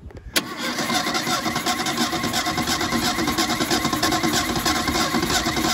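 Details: 1977 Mustang II, abandoned on a farm for 25 years with chewed wires, no compression and broken fuel lines: steady, uneven starter churning, about three turns a second, that never catches or speeds up. It cranks but won't fire.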